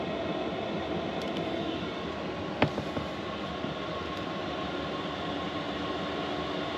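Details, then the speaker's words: Diesel heater installed in a VW Vanagon, turned up to maximum setting 10 after a few seconds' ramp-up: steady even roar from fan and burner, no surging or knocking; healthy at full power, drawing 3 amp hours on batteries. "So that's running full tilt. That's as noisy as it gets. It's pulling 3 amp hours on my batteries on high."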